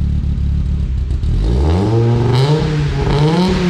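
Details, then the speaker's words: Audi S2, dormant about five years after a gearbox failure and heavy corrosion, now revved hard to show its exhaust note: it climbs smoothly from idle with a crisp, higher-pitched, even sound, healthy running. "Vas-y, il faut quand même leur faire écouter le bruit, bien l'échappement en donnant bien du gaz. Pour montrer la différence de bruit qu'elle fait maintenant celle-là par rapport à celle de farine."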